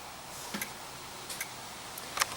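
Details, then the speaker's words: Dell E6230 laptop at power-on, internal hard drive clicking; faint irregular sharp clicks, a few per second, over a quiet background, hard drive bad and not working. "yeah that doesn't sound very good so I'm sure it'll complain about it here in a"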